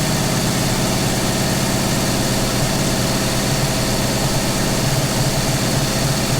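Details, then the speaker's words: 1960 Oldsmobile Dynamic 88 V8, just fired after sitting a couple of years, primed from a jerry can through a new 3/8 fuel line. Uneven, lumpy idle with an irregular low beat; it runs rough, rusty and smoky. "it's so beat it's just rough and rusty and smokes and all that good stuff"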